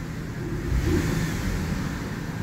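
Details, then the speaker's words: Abandoned 1998 Ford F-150 4.2 V6 idling after a cold start, with good oil pressure and charging. A quick mild blip over the steady low run rises and eases back smoothly without knocks or rattles; healthy, normal rev. "we got good oil pressure we're charging let's just give it a little"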